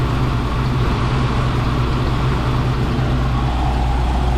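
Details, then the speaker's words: 1972 Mercedes-Benz 350 SL (4.5) R107 V8 idling during a fuel pressure test, with a smooth even low rumble and no knocks or misses; the gauge reads a steady 2 bar, exactly where it should be. "And the next thing is to fire up the engine and check the pressure."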